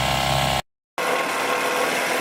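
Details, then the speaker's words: 1998 Honda BF15A outboard, previously stalling at idle, after carburettor removal and cleaning with carb cleaner: steady even idle after a brief dropout, no stumbling or surging; now idling normally. "we're now idling these will be smooth enough we'll certainly the best that we were before"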